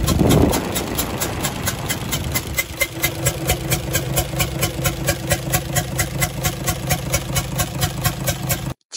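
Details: UD Nissan PKD 411 truck, NE6 six-cylinder diesel idling: steady idle with a sharp, regular chuk-chuk about twice a second from the intake side; rockers and tappets check fine, leaking valve in the head suspected, head to be opened.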